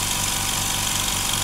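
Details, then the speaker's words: Implotex 55 dB silent compressor on first startup, with a small silencing hose fitted, tank at 2 bar: steady, even hiss and hum with no knocks or surging, filling normally until cut-off at 8 bar. "Noch gerade abschneiden, dann wird es sogar noch mal ein Tick leiser. Wir haben jetzt schon 2 Bar drauf."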